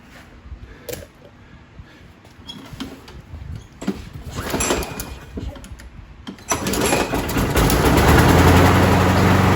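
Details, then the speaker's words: 2009 Craftsman self-propelled mower (Husqvarna 917.376401), Briggs 6.75 engine, after carb clean and rebuild with new seat and swapping the bent blade for a straight used one: starts and settles into a steady, even drone without the earlier shaking; runs normally. "now a lot better"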